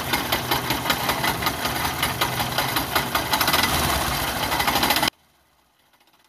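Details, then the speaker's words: Yamaha YTX motorcycle engine running: fast, uneven clatter and metallic scraping from a loose starter drive (Bendix) behind the magneto-side cover, whose three retaining bolts had snapped; fix is replacing the bolts. "So ang tingin natin ay dito banda sa may ano ah likod ng sa may BX drive."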